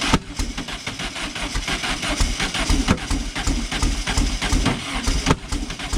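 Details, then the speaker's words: Silver Volkswagen car with changed spark plug wires: starter churns in a steady uneven chug for several seconds without catching; plug wires were on in the wrong firing order, later corrected. "So apparently when you change spark plug wires, it might be important to get them on in the right order. Apparently that matters at some point."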